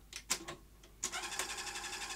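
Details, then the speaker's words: Sony SL-HF100 Beta HiFi video recorder, tape inserted; faint clicks then a light whirring motor pulsing without finishing the cycle, lacing sometimes fails and tape won't eject; loading mechanism slipping on a split gear. "and other times it won't and it won't give me my take back okay clearly we have a failure of the loading mechanism"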